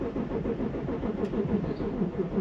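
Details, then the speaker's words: 2002 Audi A6 C5 Avant Quattro, 2.5 TDI V6, 125,000 miles, no dash lights: the starter turns the engine over at a sluggish, uneven beat and it never fires. Slow crank, no start; a failing battery is suspected. "Nada. Oh, that battery's going, isn't it? Come on, get going. Okay, I'm gonna need to charge the battery now, aren't I?"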